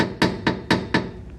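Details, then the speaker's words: Chery Cielo front right suspension: four sharp metal-on-metal knocks, about four a second, as it is worked, heard from inside like iron hitting iron; loose stabilizer bar bushing suspected, not confirmed. "sabe o que é é a busca do estabilizador trazer um quilo chega até frouxo que acontece com esse item que no meu caso aqui é só esse lado que o lado direito"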